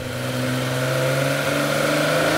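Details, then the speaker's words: Warmed-up race-spec Nissan L28 six with Datsunworks 24-valve KN20 head burbling then revving smoothly after a couple of minutes' warm-up, pitch climbing evenly through a nice exhaust, no knocks, misses or rattles; normal revving. "it sounds nice it's burbling away it's got a very nice exhaust on it to help give it a good sound"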